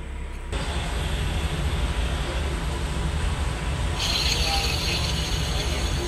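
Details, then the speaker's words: Suzuki DE64 minivan with K6A turbo engine, running, heard at the engine with the part exposed: a dry hiss turns into a steady high rasp. The noise was confirmed as the belt tensioner bearing, to be replaced. "So mao na ni karon mga sir, mao ni ang nagtingog ang iyang tensioner bearing."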